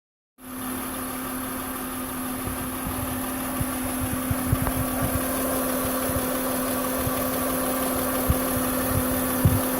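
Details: 2006 Acura MDX 3.5L VTEC V6 at idle: constant thin whine, unchanged in pitch, over a smooth engine note from the old failing alternator.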